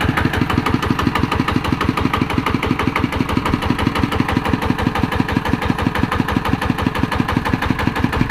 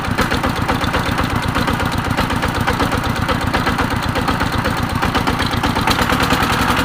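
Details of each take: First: ET110 single-cylinder diesel after rebuild with reground crankshaft: even regular thumping, no knock or miss, normal speed; white smoke on acceleration cured. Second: ET110 single-cylinder diesel, rough thumping about four beats a second with uneven firing and white smoke; worn crankshaft journal from poor oil feed found on teardown.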